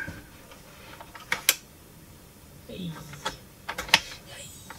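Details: Technics SL-J110R turntable after cleaning and reassembly: scattered light clicks and brief gear whirs as the autoplay arm cycles, no binding or grinding; normal autoplay mechanism operation.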